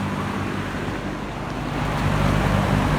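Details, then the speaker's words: Old Pencrest 50 two-speed box fan (late 60s–early 70s), found trash picking, dirty blades: motor hum and blade whoosh build slowly, not spinning up as fast as it should though it pushes a fair amount of air on both speeds; the bearings are meant to be oiled. "it's not spinning up as fast as it should be but it does"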